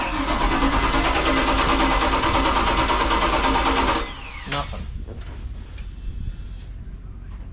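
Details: Volvo Penta 5.7 GSi marine engine, early-2000s throttle-body EFI, 310 hours, freshwater boat: starter churns at about three beats a second for four seconds, never catches, no fuel pump whir heard; cranks but won't start.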